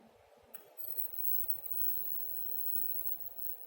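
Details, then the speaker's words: CRT TV being repaired for no picture or sound. A faint, steady, very high-pitched flyback whine sounds over quiet room noise: normal working CRT. "ቴሌቪዥናችን ይኸው ድምጽ እያወጣ ነው። ፍላይባክ ሲረጭ ያስታውቃል።"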